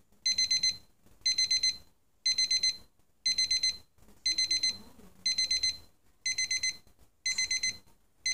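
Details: Casio TQ-156 alarm clock, three-stage alarm: bright, high chirps in quick bursts of four, repeating once a second; alarm sounding properly.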